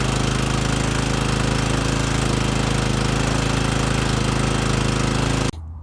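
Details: Exmark commercial mower that had been surging and running lean, after a carb cleaner service, on fresh fuel. The small single runs steady and even at fast idle with no hunting or surging, then shuts off cleanly: normal running.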